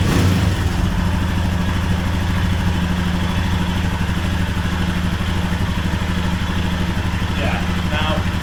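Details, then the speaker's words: 2021 Royal Enfield Himalayan (6,000 km) single-cylinder idling with a loud metallic rattle from the lower right engine; the slack oil pump drive chain and gear are being replaced; the noise worsens as the engine gets hotter. "one of the loud noises I get is from down here uh lower part the engine and it's extremely noisy rattling and going into and what it actually is is the oil pump dry chain and the gear"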